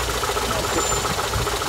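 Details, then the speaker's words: Daewoo Lanos/Sens petrol engine idling with a sharp, even knock about seven times a second; cause was a loose crankshaft pulley nut, not the water pump, gasket or alternator as suspected; tightening it stopped the knock. "Він був розкручений цей шків і він скупав"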